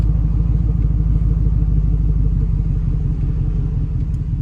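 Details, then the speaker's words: LQ9 6.0 V8 after valve job and lifter replacement: deep, even, smoother idle with no lifter tick from the top end, only a slight exhaust manifold leak from missing bolts. "A lot smoother than it did before. I don't hear that lifter anymore. It's just an exhaust leak."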